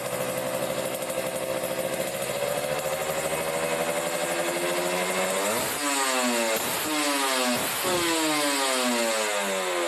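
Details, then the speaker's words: Kawasaki Ninja RR two-stroke, Mikuni 28 carburettor with air screw set correctly, engine fully warm after several minutes running: crisp idle then clean quick blips rising and falling smoothly without stumbling; normal revving. "Oke jadi ini settingnya udah pas ya bawahnya nih"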